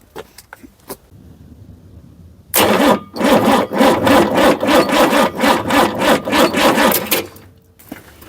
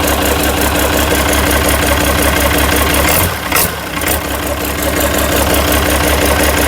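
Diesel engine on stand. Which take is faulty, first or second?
first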